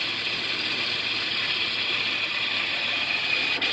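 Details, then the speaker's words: Range Rover Sport engine at idle. Steady high, thin chirp that disappears when water is sprayed on the belt; suspected pulley or tensioner bearing. "पानी डाला तो आवाज़ नहीं है क्योंकि belt का रहता था ना तो आवाज़ चली जाती थी इसका मतलब कोई फुल्ली या टेस्टर बेरिंग और इनका आवाज़ है"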